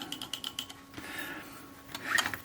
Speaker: Flip that thing out of the way. I'm just checking that that lined up. And it did. That's working as it should. That's our shutter release.